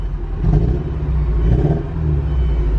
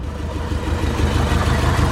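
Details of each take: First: Porsche 944 that sat for years, after DME relay jumper fix, after about five minutes idling: smooth steady rumble at proper ~900 rpm instead of 500; improvement possibly from old fuel or injectors clearing. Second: Porsche 944 that sat for years and would not start, first start after cheap wiring fix: low lumpy idle with uneven stumbling beat and dips, engine shaking; suspected slight misfire.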